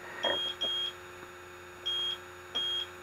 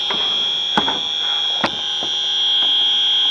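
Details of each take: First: AC refrigerant leak detector held away from the unit before evaporator coil leak search: high short beeps in a slow steady pattern, pairs about every 1.5 seconds; zeroed baseline, no refrigerant sensed. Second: AC evaporator coil leak search, system low on refrigerant: the leak detector gives a steady piercing high alarm with a few knocks behind it; after zeroing and retesting the same spot it proved a false positive.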